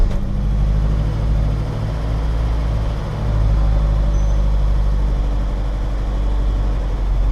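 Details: 1999 Acura Integra started and idling after replacing the main relay (fault: hard or low-RPM start when hot after sitting in sun); steady, even low idle with no stumble, knock or hunting, no check engine light: normal idle.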